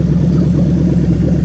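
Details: GS430 3UZ-FE VVT-i V8 with harness adapted for Lexus IS200 manual gearbox, just started, coolant warming up: smooth even idle, steady low burble, no knocks or misses; normal idle.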